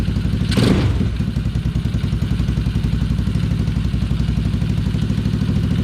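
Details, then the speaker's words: Small gas engine in a Power Wheels Gator build, first start, choke off after a brief rev: steady, even fast putter at idle with no misses or knocks; sounds healthy. "Oh, it's running. Oh, no, it sounds healthy. Oh, it sounds cool. That is running. And idling."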